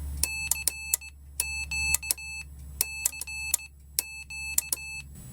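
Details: Homemade Morse keyer, paddle from two steel rulers, electronics with speed control and small speaker on a PP3 battery, sending CQ and callsign: crisp even high beeps in dot-dash groups, clean keying, quiet background; working properly.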